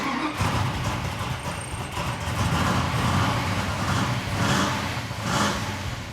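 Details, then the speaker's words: 1973 Plymouth Road Runner, 340 cubic inch V8, 4-speed, mostly stored for years, first start before tune-up: lumpy, uneven running with speed wavering and surging about every second, barely running; compression later tested good. "Beautiful. Well, at least you got it running. Barely, but running."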